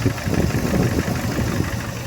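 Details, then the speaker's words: 2015 Camaro SS, first start after a replacement 6.2L V8 swap (the original block was holed): a steady V8 idle rumble with faint lifter tick that quiets as oil pressure builds. "It's got to build oil pressure, so it's probably lifter tick that you hear, but that tick's gonna eventually go away. Yeah, she is running. You can already hear it's getting quieter and quieter and quieter."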